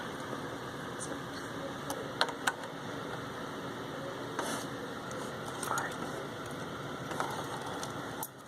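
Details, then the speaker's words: ICS Advent Pentium III industrial PC (baby AT) during boot: irregular faint scratchy clicks and crackles over steady fan hiss; owner believes he traced it to the PC speaker, likely a loose wire in it, never fixed. "If you hear that scratching noise, I believe I eventually traced that down to the PC speaker. Guess there's a loose wire in it somewhere and it's causing crackling."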